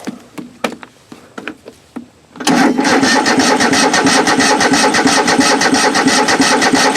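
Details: Craftsman riding mower engine (Toro-badged) not run in a while, cranking before fuel is added: a few clicks, then even cranking about three pulses a second that never catches.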